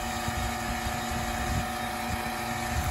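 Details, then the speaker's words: Home AC outdoor unit: compressor hums and runs, but no condenser fan whoosh; failed run capacitor, so the condenser fan won't start. "आप सुन सकते हैं कि AC system चल रहा है, लेकिन समस्या यह है कि पंखा नहीं चल रहा है!"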